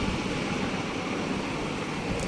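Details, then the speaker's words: Lenovo ThinkCentre Q45 Core 2 Duo desktop powered by jumping the supply's green and black wires: steady loud rushing whoosh of fan stuck at full speed, front light on but no display; processor and RAM cleaning suggested. "लगातार still on है light इसकी, लेकिन display नहीं है। Fan की speed तेज़ हो गई"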